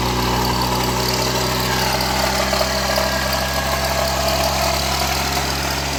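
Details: Wrecked 1988 Ford Ranger, just revived: even, steady idle with a smooth low drone and no misses or knocks; running normally.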